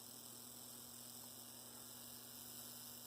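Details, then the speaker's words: Rebuilt Bachmann GP30 pancake motor, starts at about 5.5 volts and keeps rolling just under 3 volts; steady, even low-speed hum with no grinding; normal low-speed run. "So that's not bad at all. Pretty good. So our motor is very nicely tuned up now."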